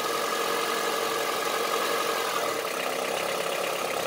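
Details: Honda CR-V III 2.4 petrol engine at idle: dry, clattery diesel-like tapping over the run; diesel-like engine knock, cause suspected, not confirmed.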